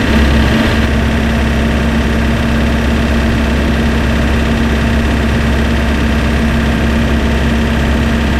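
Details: Spryte snowcat "Rusty" turbodiesel, first startup after fitting new OEM Zexel injectors with copper crush washers and priming: fires up and settles into a steady, even clatter with a constant low drone; idle smooth and stable, much smoother than before.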